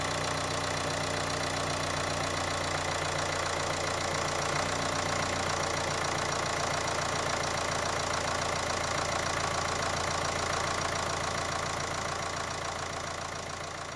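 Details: Dacia Duster dCi diesel just after oil change with new RN17 oil, first start; steady even idle clatter at constant speed, no uneven knock – normal diesel idle.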